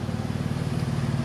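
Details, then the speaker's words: Jeep, inside the cabin at idle: a deep, loud, pulsing drone with a popping edge. The muffler has failed and needs replacing; the engine does not need replacing despite the seller's claim. "you can hear it's just loud inside here just kind of pop I remember she didn't like it anymore but cool by me but that does not need an engine guys"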